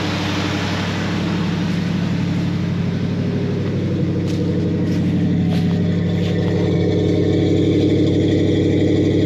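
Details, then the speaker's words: 1973 Ford F250 with FE390 V8, woken after long storage with plugs regapped and the idle screw turned up: low, lumpy, uneven idle of about three beats a second. Rough idle that clearly needs carburetor work. "It's not bad at all. Well, it clearly needs some carburetor work."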